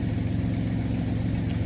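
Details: 2003 Ford Explorer at warm idle after a new muffler replaced a very loud exhaust; O2 sensors not yet fitted. Low, even exhaust rumble with a steady beat and no rasp or blatting. Now idling quietly and normally.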